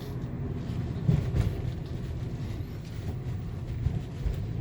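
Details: 2011 Nissan Cube driven on the road after underbody repair; low steady road rumble with soft thumps over speed bumps and no metallic rattle; the earlier clattering sheet-metal noise over bumps and unpaved roads is gone.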